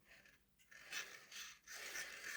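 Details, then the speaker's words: Hornby R.372 Class A4 "Seagull" model locomotive with ring-field motor on test track: faint high rhythmic scraping and slight chuffing while running; suspected rods hitting the body shell, since the owner says there's no noise with the body off. "Yeah, there's a wee bit of a chuffing sound. Yeah, that sounds like the rods hitting the body."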